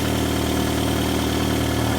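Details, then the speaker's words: 2002 Mitsubishi Lancer ES, 2.0L SOHC 4G94 four-cylinder, on first start after head gasket replacement, oil change and coolant flush. Smooth, steady idle with even pulses and no ticking or misfire. Normal idle. "So at this point, all that's left to do is change the oil, flush the coolant out, put new coolant in, and fire it up. Well, it's alive."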